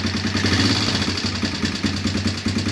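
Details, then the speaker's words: Honda Recon ATV single-cylinder with a swapped cylinder head and new piston rings to cure smoking: a light, quick ticking rides over a steady idle, a top-end tick. Owner plans to adjust the valves; not confirmed. "sounds like a tick in the top end there i had to adjust the valve"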